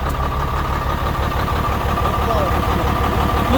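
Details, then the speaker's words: International (Navistar) diesel bought cheap, hard to start after long standing with low compression and carbon under valves: steady turbo whistle over an uneven idle stumbling about three times a second; engine also uses oil, injectors need work. "Вот так, зверь работает. Турбина свистит, да."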